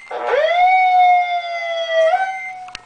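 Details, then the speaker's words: Siren test of a rotating siren driven wirelessly by a baby monitor and tone generator: tone sweeps quickly up to a steady high wail, dips briefly, then climbs back and holds, a clean, strong growl; normal siren growl. "there that was a growl anyway"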